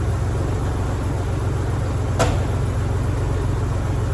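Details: 1987 Ford Bronco II started in a shop with about minus 15 outside after sitting abandoned 15 years, following a fuel-pump change: deep, even rumble at steady idle, no misses or knocks, one faint click; healthy idle.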